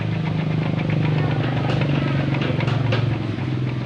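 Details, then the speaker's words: Honda Revo motorcycle engine with a crackling noise; coarse, gritty rattle over the beat, audible even turning by hand; worn camshaft bearing, later replaced and timing reset to top mark. "nah ini teman-teman bunyinya kasar tiba di dekat ada suara diputer pake tangan aja bunyi"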